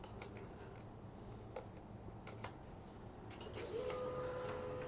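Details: Canon 2900 laser printer after cleaning and repair runs smoothly with soft mechanical whirring and light clicks, no longer the annoying purring/squeaking gear sound it had before.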